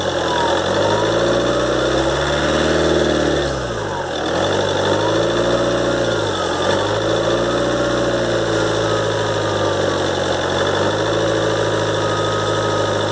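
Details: 2013 Ford Transit 2.2 diesel, cold, idling about a minute after start, after turbo repair (new compressor wheel, shaft bushings, seals, actuator motor and gears): high whistle sweeping up and down as revs wander; repair failed, owner suspects imbalance.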